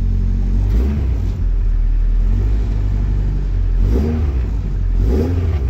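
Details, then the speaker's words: Classic Mini with a Honda B16 VTEC engine, started and left running to charge the battery: a deep, steady note that climbs cleanly on two quick blips and settles back. Healthy running with no knocks or rattles. "Yeah, she still sounds good. Always."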